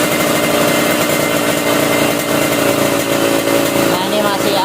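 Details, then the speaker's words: Standard single-cylinder motorcycle carburetor, air screw being tuned for highest, lightest idle: busy slightly uneven, stumbling idle; air screw still off and needs more adjustment. "nah sampai seperti itu baru kita tesnya ya guys ya"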